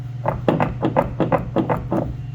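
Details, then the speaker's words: Front passenger strut on a 2006 Hyundai Tucson, pumped up and down by hand: dull, irregular clunks about three a second from a strut failed at its top mount, heard over bumps while driving. "So every time you go over a bump, you're hearing that noise in the car when you're driving."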